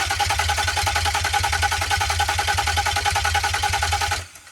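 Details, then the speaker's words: Nissan 350Z after a complete engine rebuild using junk Nissan Murano parts, first test start before transmission install: starter cranks steadily about three and a half turns a second for four seconds, never fires; cam sensor connectors were plugged in swapped. "unfortunately, the worst thing possible happened. Well, I guess not the worst thing possible, but it didn't start."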